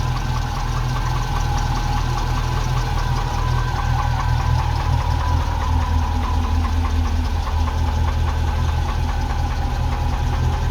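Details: Ex-NZ Army V8 Land Rover (NZ 341) just after replacing failing military ignition with Mallory coil, optical unit, cap, rotor and ballast resistor: first time ever the choke can be killed straight away and it keeps running; steady, even V8 idle, no stumbling or misfire.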